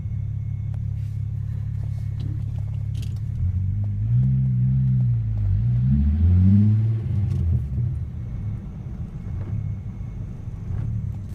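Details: MK3 Jetta VR6 idles with a deep, uneven lumpy rumble whose pitch wanders; rough idle persists after new PCV valve, repaired vacuum hose, plugged brake booster vent, new charcoal canister and Seafoam; vacuum issue suspected, cause unknown.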